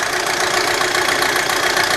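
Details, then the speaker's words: 2007 Audi A4, cold idle, oil pressure under 25 psi, low/uneven compression: fast, hard clatter riding over the engine note, loud ticking knock; cause still unknown, oil probably thick when cold. "It's got less than 25 pounds. You can hear the engine is quite noisy."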